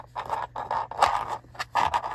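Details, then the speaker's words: SUV interior, passenger-side storage bin test: short hard clattering bursts of a small hard round object like a ring sliding and knocking inside an unlined bin; interior rattle, later damped by lining bins with felt tape. "근데 이거를 깔고 나니까 원래 만약에 반지 같은게 있었다 뭐 딱딱한 동그란게 있었다라고 하면 조수석에서 테스트 해 볼게요"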